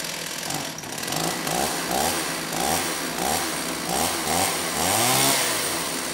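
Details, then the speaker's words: STIHL 028 AV Super chainsaw, rebuilt with non-OEM parts after being run on straight gas, just started: revs surge and sag while warming up, never settling evenly; running lean, and opening the low-speed jet a bit improved it. "now it was for sure running lean so I did open up the low speed jet a bit and it started to sound a little bit better"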